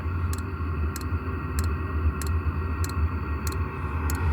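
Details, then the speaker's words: Vevor diesel heater in an off-grid school bus at 8000 feet, fuel pump remounted with an extra rubber piece: soft steady tick about every 0.6 seconds over a low heater rumble, pump pulsing normally and now well damped. "I got sick and tired of the fuel pump going tick tick tick tick tick tick so we just took an extra piece of rubber to the rubber Mount that come with the pump and put that in and now I can barely hear it tick"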